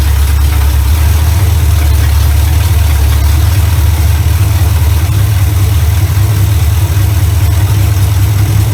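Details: 1970 Chevy Impala V8, first run in 4 years right after fitting a new carburetor, ignition advance not yet capped: deep steady idle, even low rumble, no misses or knocks; runs much better than old carburetor, normal idle.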